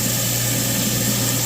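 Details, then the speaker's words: New garbage disposal just installed, after knocking out the dishwasher-connection plug, first test run: smooth constant low hum with steady whir, no rattles or grinding; sounds smooth, better than before; normal running. "Here's the test. How smooth that sounds."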